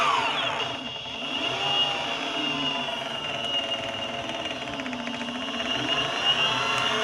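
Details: Boosted Board Stealth electric skateboard, under a month old with about 200 miles, under throttle: motor whine with a rough clicking grind isolated to the back left hub motor. Owner assumes the motor needs replacing, unconfirmed.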